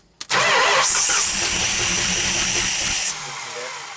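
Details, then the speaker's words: 440 big block Mopar, first start attempt in 23 years, low miles: starter spins steadily about three seconds without firing; cranks but no start, spark checked, no fuel in tank yet. "we finally got it rolling over check for spark anything else look strong as can be but they're nothing"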